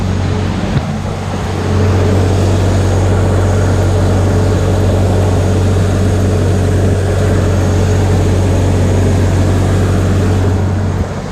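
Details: 1986 Ford Aerostar, 2.3 L four-cylinder, 5-speed manual, owner believes low miles: deep, even burbly exhaust rumble with steady low hum, no knocks or misses; normal smooth idle.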